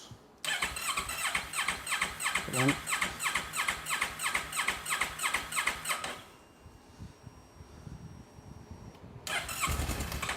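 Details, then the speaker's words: Motorcycle that sat six years, after its gunked fuel pump was cleaned and the system primed: the starter whirs about three beats a second for several seconds and never catches, then cranks again. It nearly fires, then starts after a couple more tries. "Ooh. It sounded like it were going to go right, but it didn't. Oh no. She's trying."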